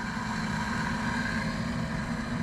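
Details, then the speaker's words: Central Boiler CL6048 Classic outdoor wood boiler after replacing its failed Taco 009 circulator pump: a steady, even low hum with no knocks, rattles or squeals. It is back up and running normally after the repair. "but i think safe to say we're back up and running"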